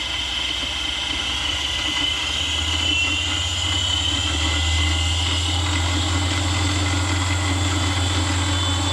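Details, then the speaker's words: Grizzly G0748 mill after DC motor upgrade with new 50 mm and 37 mm belt pulleys: spindle spinning up from 0 to 6,500 RPM on low range, smooth hum and clean whine, nice and quiet. "So now let's turn it on. Nice and quiet."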